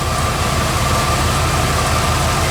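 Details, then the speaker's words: Bullnose Ford F150 V8 at idle after swapping high-pressure fuel pump for low-pressure Edelbrock pump, return line capped: even, steady idle with smooth low pulse; earlier scraggly noise (owner wonders if pinging) no longer heard; normal idle. "so cool gonna be funny if that scraggly noise went away i don't really hear that noise anymore"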